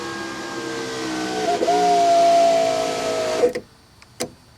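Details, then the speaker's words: 1991 Mercedes-Benz 420 SEL right rear power window after repair, test run with door apart: clean steady motor hum rising slightly as the glass travels, stopping with a soft thud; no grinding or squeal, operating normally. "perfect no noise no nothing"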